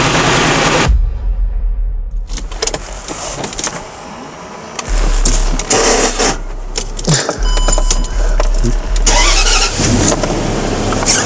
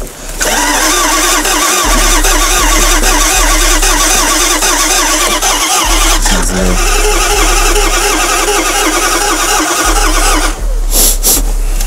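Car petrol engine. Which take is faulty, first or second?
second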